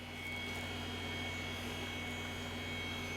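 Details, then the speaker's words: Power Macintosh 6100 (February 1995 board) at power-on just after startup chime: quiet steady whine with low hum as hard drive spins up, no clicks or scraping; normal healthy spin-up, boots to happy Mac. "so we have a chime I can hear the hard driv spinning up are we going to get a picture"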